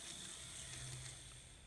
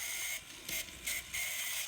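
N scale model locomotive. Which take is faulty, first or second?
second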